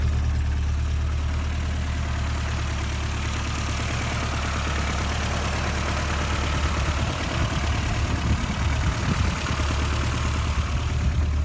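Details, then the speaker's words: 1985 Subaru Brumby (Brat) boxer four with manual gearbox and a fixed exhaust leak, a noisy engine that may have a rod-knock-like sound under rpm: steady idle turns ragged and sputters on; slight dieseling. "oh little bit dieseling so"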